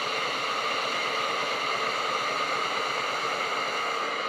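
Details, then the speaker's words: Tefal Access Steam Force DT8270G0 handheld garment steamer, 2000 W, new unit; even strong continuous hiss, no sputter or gurgle, normal. "quite a large amount of steam output and pressing and holding on the turbo button gives it an even bigger boost right there as you can see a burst of steam that can only be used once every 20 seconds just by pressing and holding on the turbo button"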